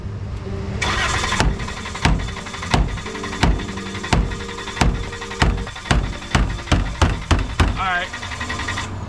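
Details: Dodge Caravan that failed to start: steady starter cranking with loud metallic knocks from hammer taps on the fuel tank, engine never catches; crank no start, fuel pump failure suspected, not confirmed.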